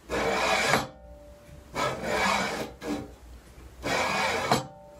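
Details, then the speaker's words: Prusa i3 MK3 3D printer Y axis, belt removed, after retightening bearing nuts: three gritty rasping bursts as carriage is pushed by hand; linear bearings still rolling rough. "this is what the bearings are sounding like without the belt on"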